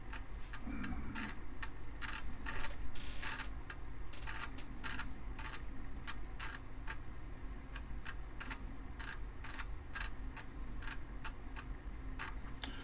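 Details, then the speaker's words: Amiga 500 booting from an inserted floppy: sharp, fairly steady clicks at about three per second over a low hum as the drive head steps and seeks, sounding a little funky, floppy drive clicking. "I think I'm gonna want to open that floppy drive up take a look inside it sounds a little funky but no it's a cranking away down here suddenly you can hear that"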